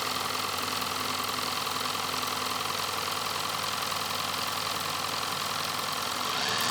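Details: Nevadent water jet flosser (Lidl) on jet setting: steady high buzzing pump with fast, even pulse holding its pitch; flosser running normally.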